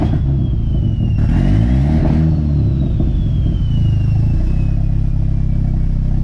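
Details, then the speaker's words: 240 being switched to straight E85 with VE table and fuel tuning under way: engine revs up and falls back with crackling exhaust pops and bangs from fuel and ignition cuts. "You can definitely hear the fuel cuts, ignition cuts. That's what the pops and the bangs are."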